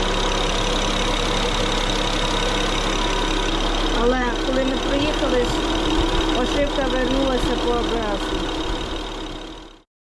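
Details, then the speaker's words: 2010 BMW E60 535i xDrive engine at idle right after fitting replacement fuel injectors (one original injector was leaking): steady, even idle with a smooth low drone, no misfire stumble or ticking. "Так, все, ми поставили форсунки. Зараз будемо пробувати заводити. Ось як звучить мотор з заміненими форсунками."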